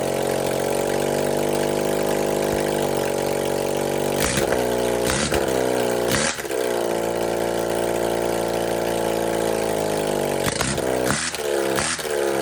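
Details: 1978 Honda CB400A Hondamatic 400, revived after 10+ years outdoors, after carburetor rebuild: steady, even idle with clean throttle blips rising and settling smoothly; normal idle and revving.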